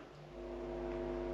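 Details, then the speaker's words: Rega Planar 3 turntable with right channel positive tonearm wire disconnected to recreate a fault: steady low mains hum through the amplifier with no signal on the broken channel. "The channel that is broken doesn't work. You just get the hum."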